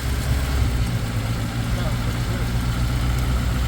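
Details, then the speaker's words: 1980 Chevy Luv that sat in a junkyard about 25 years, first run after a jump start, smoking: steady, even low idle with no knocks, ticks or misses; normal idle. "that's a good running little motor other than all the smoke it's going away a little that's it idling H there it is it runs"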